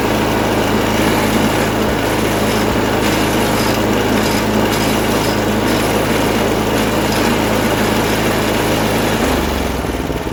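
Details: MTD snowblower sat about a year, revived with fresh gas plus cleaner, primed, choked, throttle about half: steady even buzz, no misses or surging, settling lower near the end; runs well, auger works.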